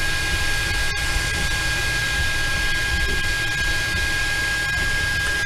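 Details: Anycubic Mega Pro 3D printer while printing: even steady hum with a thin constant fan whine, no knocks or rattles; normal, reasonably quiet running. Only a slight print-head fan rattle at startup is noted, not present now.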